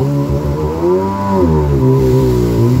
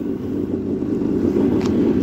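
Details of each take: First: Rebuilt 2000 Yamaha XL800 watercraft with new crank, rods, pistons and rings, rebuilt Mikuni carbs and new impeller: at about 27, near 5000 rpm, the engine note rises and falls unevenly, a surge whose cause is unknown. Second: 2000 Yamaha XL800 jet ski, freshly rebuilt two-stroke with rebuilt Mikuni carbs, surges above 5000 rpm; returning to idle it gives a steady, even burble, idle is fine, air leak suspected for the surging.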